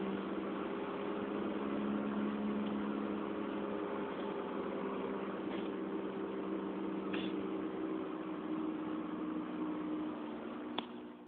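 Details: Rear hub wheel bearing hum on a 2004 Honda Fit GD3 1.5W at about 50,000 km, four years old: steady low droning hum at even pitch over road noise while cruising; recorded 2008 on a phone fixed in the car.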